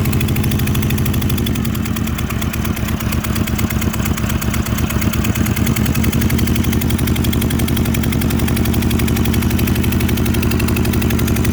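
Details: Motorcycle at idle, being tested for a misfiring cylinder via the ignition coil: rough, uneven beat with irregular pops, as if a cylinder drops out intermittently. Cause suspected, not confirmed.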